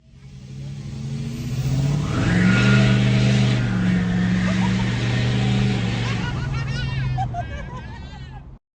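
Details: Exhaust leak on a Nissan Sentra, heard from the engine bay: engine revs with a raspy, puffing blat growing with throttle; first looked like a warped manifold, but a cracked exhaust manifold was found.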